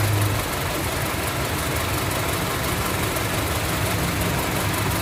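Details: Honda CR-V with code P0352, No. 2 cylinder ignition coil circuit malfunction: rough, shaky idle with irregular beat and missing pulses from the cylinder two misfire, causing hesitation, vibration and jerking.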